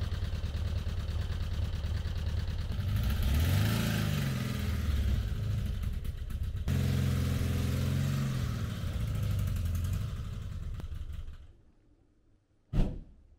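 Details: 1985 VW T25 camper engine at fast idle on choke, carburettor idles too high and won't idle once the choke is off; light, uneven top-end tapping about three a second, then it dies; owner blames loose valve adjusters on one side.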